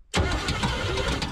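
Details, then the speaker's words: Salvage-yard truck, engine started: rough running with rapid ticking slap following fan speed; heater hose touching the cooling fan, not internal knock. "Oh, if she sounds like she's knocking, she's not. She's got a little heater hose or something in the fan up there."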